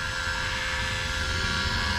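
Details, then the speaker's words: Bobcat T66 R-series track loader with Bosch diesel fuel system, 287 hours, after fuel filter and water separator replacement: the electric priming pump gives a steady even hum with no engine firing while it fills the fuel system before starting. "So right now it's filling the whole system. It's priming it, and that display in the dash will shut off once it's fully primed."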